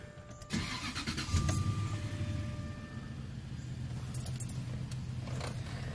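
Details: 2004 Jaguar XJ8 Vanden Plas after cleaning the accelerator pedal throttle position sensor contacts (codes P0122, P0222, P1344) and clearing codes: brief crank, catches cleanly, settles into smooth even low idle; normal start.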